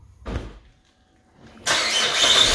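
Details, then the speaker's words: Car that would not start after refuelling, with check engine light on, after replacing the faulty evaporative emission purge valve: engine fires first try after a brief pause and holds a steady, even idle with no stumble. Normal start and idle. "and there you have it your car is back into good operation"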